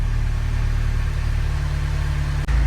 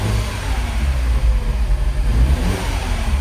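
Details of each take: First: Mini Cooper N18 1.6L turbo, previously misfiring on cylinder two, after burnt valve replacement, first cold start idling: steady, even low idle hum with no misses, ticks or knocks; engine runs smoothly. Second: Second-gen MINI Cooper N18 1.6L turbo four-cylinder petrol running rough with code for a cylinder two misfire. Lumpy, uneven beat that persisted after swapping plug and coil, traced to a burnt valve.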